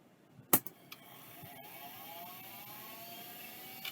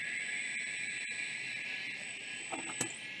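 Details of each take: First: Vintage hard drive under test: sharp click, then whir climbing in pitch over about a second, settling to a steady even hum; drive spins up normally and works. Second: Maxtor XT-1085 hard drive badged Storage Dimensions, powered on: steady high whine as it spins up, then a couple of odd knocks; owner suspects a broken wax ring. Not confirmed.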